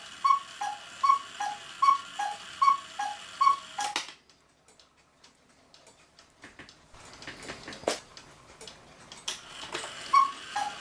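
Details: 1940 Lux cuckoo clock with a one-day double-weight movement, reassembled: crisp, even ticks at about 76 a minute for several seconds before handling noise takes over; the beat is steady and healthy.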